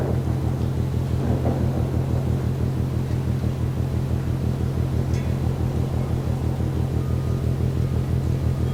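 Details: Rhythmic banging from the ship MAERSK TAIKUNG at Port of Genoa Pra' (PSA Voltri Pra), 1 a.m., 5 Nov 2015, recorded more than 1 km away: deep drum-like thuds about twice a second, very regular, over a distant low rumble.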